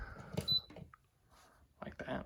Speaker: It beeps with every button press, which is kind of annoying.